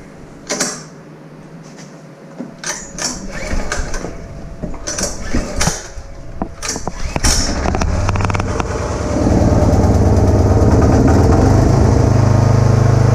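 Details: Kubota A3500 generator, about 10 hours of use, uses some oil; carburetor cleaned, gaskets and air filter replaced, sediment bulb replaced with a shutoff-valve type. Choke start: a few pulls and clatter, then a steady, even drone: normal running.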